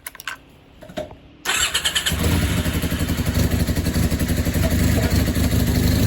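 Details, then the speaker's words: 1986-87 Honda CB450S after an engine swap, no-start traced to the starter motor, slightly warmed up with battery recharged: starter spins briefly, engine catches cleanly and holds a steady, even idle. "so now she did warm up little bit and recharge the battery and now she starts like this which is really good"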